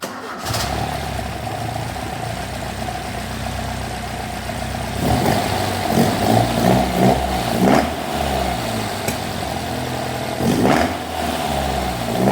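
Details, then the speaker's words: Classic Alfa Romeo GTV 2000 after head gasket replacement and carb rebuild, choke sorted: catches, steady idle with a few rev blips, no knocks or misses; smoke is oil burning off exhaust, runs well. "That's just the oil burning off the exhaust. Now fire it up and you can see how good it runs."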